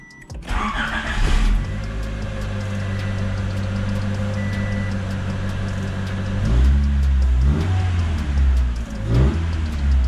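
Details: 1987 Honda Prelude Si just after a cold air intake install, with the stock air box, some vacuum lines and the charcoal canister removed: engine catches quickly, settles to an even idle, revs and drops back cleanly, no knocks or misses; healthy start.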